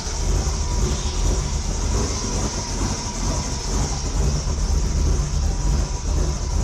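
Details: 1973 Ford Torino with LS V8 swap, open intake pipe: steady deep V8 rumble with loud rushing intake, running evenly, no knocks or misfires after starting right up; normal running.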